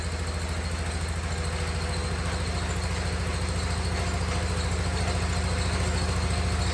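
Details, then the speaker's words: 47-year-old Wheel Horse tractor, first idle after sitting, with fuel gravity-feeding and the carb about 6 in above the pump: steady, even single-cylinder thump at about 3.5 beats per second, confirming the fuel pump works; may need some carb tuning. "yeah guys look at that things idling man that's awesome so again that tells us set the fuel pump's working"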